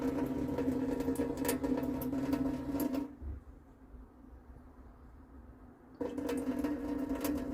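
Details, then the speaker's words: Old motorhome water pump on auxiliary power with the tank just refilled, running for hot water: it hums and rattles, clicks off, then restarts, cycling while pushing lots of air out of the pipes before water arrives. "let's just see what happens on hot yeah you can hear it clicking in so this is lots of air in the pipes oh here it comes"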